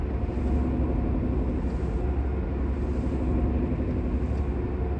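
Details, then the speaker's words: Mercedes W203 at about 100 km/h: steady low droning hum under road noise, quieter when steering right, louder when straightening; worn rear wheel bearing. "когда вправо поворачиваешь значит он тише когда вправо поворачиваешь Он немного Тише затихает"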